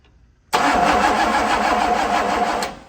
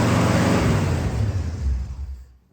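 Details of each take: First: 1965 Pontiac Catalina, being started for the first time in 20 years on a booster pack: two seconds of fast, even cranking that never catches or fires; carburetor still dry, fuel not yet reaching it, crank no start. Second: 1965 Pontiac Catalina V8, running for the first time in 20 years after a leaking transmission fitting was tightened: deep, rich rumble that winds down evenly without misfires or mechanical clatter; no more spraying, normal running.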